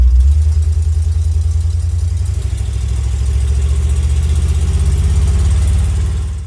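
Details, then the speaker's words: 1975 Chevy C10 V8 after engine rebuild, on test drive: deep, lumpy rumble with an uneven beat that never smooths out before dying away; rough running blamed on ignition timing needing adjustment. "I think we need mess with the timing a little bit. It's still not doing too good on like it should. So, I believe that once we get the timing correct, it will runs perfectly, smoothly."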